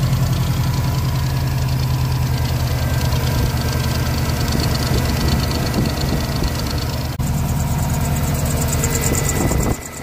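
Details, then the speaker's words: Subaru Impreza idling after replacing the squeaking A/C compressor idler pulley: an even, smooth low throb with no squeal or chirp from the belts before shutdown; the squeak is gone. "like so changing that pulley has got rid of that squeaky noise which is perfect"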